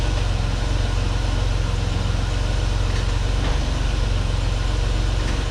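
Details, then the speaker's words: 1989 Pontiac Firebird 2.8 V6, last titled in 1991, after a fuel pump replacement. After starting rough, it smooths into an even, steady idle with no miss or knock. "Actually, it's starting to smooth out a little bit. Actually, I don't think it sounds bad at all. It's actually running really well."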